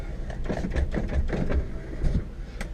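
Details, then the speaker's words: 2000 Honda Accord EX working power window: low, even motor drone as glass travels, no grinding, clicking or binding; this regulator works normally, unlike the other window. "Alright, so as you can see, this window works,"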